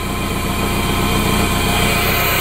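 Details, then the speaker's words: 1992 Toyota MR2 at its first fire-up, run briefly with no coolant: steady, even idle with a smooth hum and no knocks, misses or rattles. Engine runs cleanly. "that is awesome food is so fun that's so awesome heck yeah i can't let it run too long because i know it doesn't have cooling in it in this thing"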